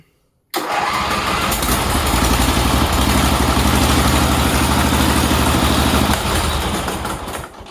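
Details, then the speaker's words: Sears GT18 V-twin lawn tractor during restoration, cold after sitting overnight, no throttle, no choke, fuel not yet filled in system: fires almost instantly, settles into an even, steady idle for seconds, then shuts down cleanly; healthy easy cold start. "Wow, that starts really easy. And that sat since last night around 6 o'clock, and it's like 9:30 in the morning now."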